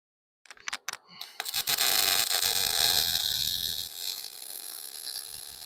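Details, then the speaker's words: MIG (GMAW) welding on a plate, pull technique with slight circles: a few clicks, then a steady, even frying-bacon crackle through the pass, showing a correct machine setting. "you can also hear that this sounds like frying bacon and that's pretty much how you know that you have the right setting"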